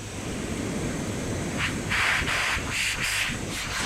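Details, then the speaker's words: Turbo 265 Chrysler Centura (13 psi) on a homemade boost leak tester, soapy water showing bubbles: faint airy hiss rising and falling over wind rumble; small boost leak, possibly also the methanol fitting, not confirmed. "um so that's that's just one one small leak there and you can probably hear it more"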